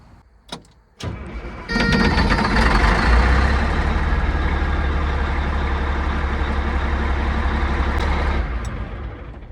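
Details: Cat 3406E diesel in a D400E Series II haul truck after rebuild, started right after fitting a replacement ECM with zero active codes: cranks briefly, fires within a second, steady even idle with no misses or knocks.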